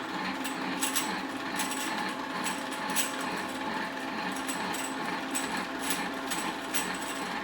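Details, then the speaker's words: 3000GT/Stealth 5-speed AWD transmission, back plate off, drill-press spun in neutral: light, dry metallic ticking about twice a second over a steady whir, stopping with slight gear pressure. Not the input shaft or throwout bearing; owner suspects the 2/3 or 3/4 slider. "Well, that rattle noise is coming up from the top area here. If I put it just a little bit into gear, it stops. Just a little bit of pressure on it."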